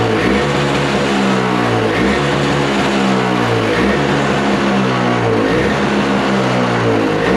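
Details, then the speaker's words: Toro snowblower with Briggs & Stratton R-Tek engine, non-running, refurbished, just started on freshly mixed fuel; buzzy note rises and falls with throttle, no sputter or misfire, owner thinks the idle adjustment isn't set right. Normal running. "Oh, there it goes. I don't think I have that thingy in there set right for the uh um uh idle."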